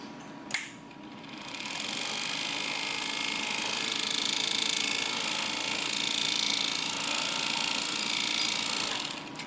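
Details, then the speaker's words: Pride power chair gearbox motor on bench, opened: high steady whirr with light tick about four per second unchanged as rotated; suspected brush or rear bearing. "I changed my mind that sound is either one of the brushes or the bearing here in the back"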